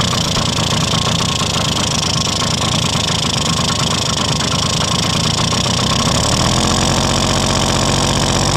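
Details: 1971 Yamaha Mini Enduro first start in decades after carburetor cleaning, checking oil pump delivery: small engine buzzes steadily with slight pitch lift near end, runs evenly; normal running.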